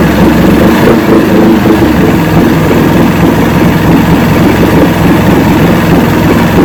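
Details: 1970 85hp Evinrude two-stroke outboard with hydroelectric shift, 50 years old, new water pump impeller, idling in neutral in a water container: steady even low burble, no stumbling, surging or knocking; carburetors judged good at idle.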